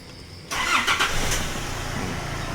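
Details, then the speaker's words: Nissan Navara diesel after replacing the cracked alternator (rotor rubbing stator) and loose tensioner pulley: quick crank and catch into an even, quiet idle with no rubbing or screeching from the engine front; normal start. "เครื่องเงียบเงียบกริ๊บๆๆตามเสียงก็คือเป็นเสียงปกติของnavara"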